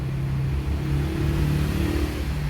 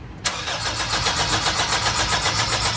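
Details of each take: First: 2003 Honda CR-V after its faulty ECU was repaired and refitted, following a no-start: the engine blips up and settles smoothly, a steady low drone with no stumble or knock; revs cleanly and runs normally. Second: 2003 Honda CR-V crank no start: the starter cranks steadily but the engine never catches. Fuel flowed at first key-on but not while cranking; the fuel pump is to be removed. No fuel delivery.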